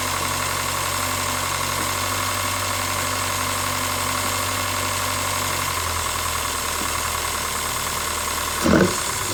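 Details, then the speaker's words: Mazda Miata after extensive engine work, first start in seven months, headers smoking from cook-off: idle holds then drops and settles, surging idle; owner suspects air in coolant lines among two possibilities, unconfirmed. "you also heard a bit of a surging idle there's one of two possibilities"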